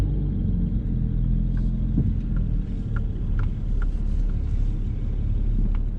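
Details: 2007 BMW 335i N54 twin-turbo after turbo replacement with VRSF catless downpipes and outlets: steady low idle rumble with a few light ticks, even and settled, running normally; previously had rattling, boost loss and no boost.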